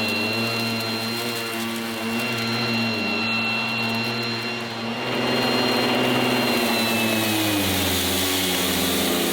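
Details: 1980s mains-powered Goblin Roto handheld vacuum cleaner with rotating agitator brush during demonstration: loud, steady high motor whine with whirring brush, pitch shifting slightly under load; runs evenly without rattles, very noisy but normal.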